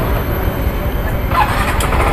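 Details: Yamaha Mio J / Mio M3 scooter after replacing a faulty injector nozzle (fuel pump pressure, plug and cap were good, no MIL codes): steady even low putter, no misses; stumbling fixed, normal idle.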